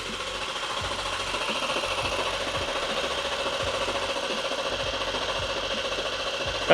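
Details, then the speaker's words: BMW G87 M2 after xDrive conversion, engine refitted, oil priming with coils unplugged: steady fast starter chugging turning the engine over with no firing, as expected. "battery connected you should now be able to crank it but it won't start"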